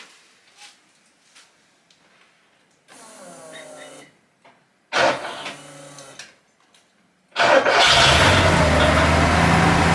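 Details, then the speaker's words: Porsche 928 V8 with a newly finished, welded and tightened homemade stainless steel exhaust (temporary tips), first start: it cranks, catches and settles into a steady, fairly quiet, smooth idle, 74 decibels indoors; normal idle. "That's 74 decibels. It's actually quite quiet in here. Pretty good."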